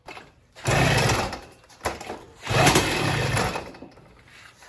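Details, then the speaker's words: Motorized bike two-stroke just fitted with California Motorbike catnip ignition and coil, carburetor unchanged: two short bursts of popping that catch under a second then die; fires weakly, won't keep running. Cause unconfirmed. "Increase the idle speed a little bit. It fired a little bit. Now let's see what it'll take to actually start this thing."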